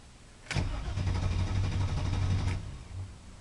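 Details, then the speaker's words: 1995 Camaro, cold after three hours off, new ICM and coil, distributor three months old, previously stalling after about 15 minutes of running: fuel pump primes, starter spins about 3.5 beats a second for two seconds, never fires; cause unconfirmed. "now it won't even start at all let's give this another try turn in the KE off turn it on you can hear the pump the fuel pump prime"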